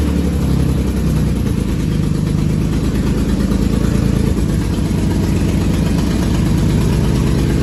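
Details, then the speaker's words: Drift car V6 (Project Seat Time Z) at first start after engine and transmission install: lumpy, choppy off-beat idle with stumbling revs. Two ignition coils were wired backwards, so it ran on four of six cylinders. Misfire. "it actually had two ignition coils wired backwards so it was running on four cylinders"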